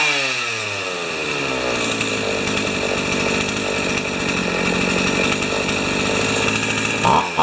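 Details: Pioneer Partner 500 chainsaw after fuel tank clean and reassembly, idle just turned up; revs climb quickly then hold a steady, crisp two-stroke buzz without stumbling or dying, running well.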